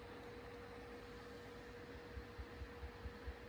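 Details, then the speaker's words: 1936 Grunow Teledial 1297 radio after swapping in a new-old-stock tube: steady hiss, then a low heartbeat-like pulse of about four beats per second near the end; still motorboating, so that tube was not the cause. "yeah I can hear it like an oscillating hear it like a heartbeat so it's not this one"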